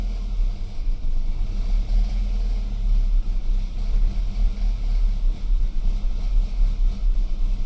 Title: 2008 BMW E92 320i N46N 冷車啟動怠速不穩 Rough idle when first start in the morning